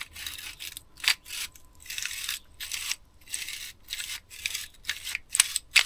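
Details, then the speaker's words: Vintage army Tirfor TU-16 winch turned by hand before ultrasonic cleaning; rough, scratchy rasping in uneven bursts from grit in the mechanism. "So you can hear how gritty this sounds."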